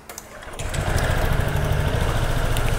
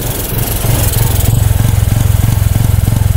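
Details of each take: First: Honda SH 125 FI 2021 that sounded like a tractor after servicing. After fitting the correct-type seal/gasket, the engine catches and settles into a steady, even, crisp putter with no knocks or rattles: normal idle. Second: Honda SH125i 2021 scooter after routine servicing, idling: loud, high idle with a hard chugging beat like a tractor, about three per second; intake air leak leaning the mixture.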